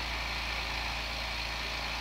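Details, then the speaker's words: New oil-less compressor for airbrushing, first fill after unboxing with regulator turned down: steady even drone with a faint high whistle, no knocks or rattles, quiet enough to talk over; filling normally. "yeah I think this is gonna work out okay for while I'm airbrushing so you can hear me talk"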